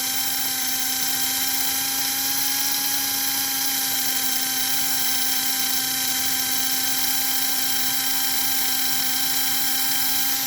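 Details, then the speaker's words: 1946-47 postwar American Flyer toy train chassis motor at about 12-13 volts drawing about 1 amp: steady, even high-pitched whir with no surging or grinding; normal motor run. "But listen to that motor. Holy moly. That's only 12, 13 volts."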